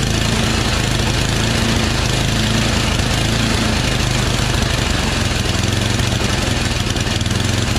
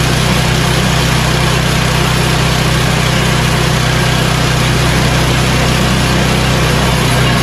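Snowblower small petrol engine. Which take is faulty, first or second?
first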